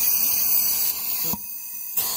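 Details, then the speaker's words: 6.0L Power Stroke (2005-2007) high pressure oil pump on a bench air test, suspect pump not making high pressure oil: steady high hiss cutting in and out, air escaping out the inlet side instead of holding pressure. "so this is our suspect pump where we're just not getting high pressure oil see we're just coming out of that inlet side there you know"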